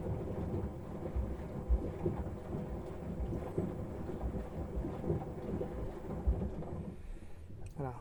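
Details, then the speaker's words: Miele washing machine, citric acid drum clean at 95 °C, very hot: heavy uneven water sloshing with soft thumps as the drum turns, metal paddles audible, no grinding or knocking; normal wash agitation. "on entend vraiment le lot qui est brasse vraiment bien et comme les bras sont en métal on entend bien en fait le brassage le brassage qui a coûté bien"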